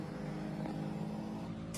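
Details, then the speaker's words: Honda Click scooter after its faulty remote receiver was bypassed by joining the pure yellow and yellow-green wires: faint steady electric whir for two seconds at key-on, fuel pump priming normally, confirming the jumper works. "Siyempre, pag sinusi natin, good na yung ating fuel pump. Pakinggan natin."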